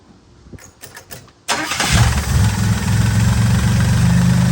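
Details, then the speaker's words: 1964 Oldsmobile F85 Cutlass, one owner, 67,000 miles, barn find after 33 years, restarted after finding a trash-filled fuel filter and a bad hose: a few cranking turns, then a steady even rumbling idle; it idles a little high and has a blown muffler. "Okay, now we're going to start it back up and let her run a little bit."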